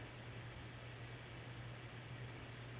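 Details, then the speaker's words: 1982 52-inch Hunter Original ceiling fan #22822, Reverse-Aire brackets, capacitor three-speed conversion, in reverse; low about 60-65 RPM, medium about 100-105 RPM. Quiet steady hum with soft airy wash, no knocks or rubbing; wobble worst on lowest speed; normal running. "it seems to be a particular speed in which the wobbles the worst so really the worst it worst it was really is on the lowest speed setting"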